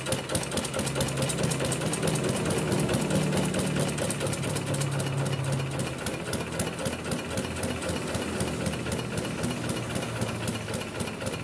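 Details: Kubota RD65DIS single-cylinder diesel, modified with RD85 pusher and non-standard piston, test-run after cylinder head refit and timing set: steady thumping with crisp, even exhaust beats and no misses; running healthy, clean combustion.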